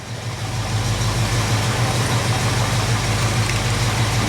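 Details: Jeep CJ-7 AMC 304 V8 just fired after an oil service, with 50 psi oil pressure called very good: a deep, even rumble settles within a second and holds steady, with no knocks or misses. It is a normal, healthy idle.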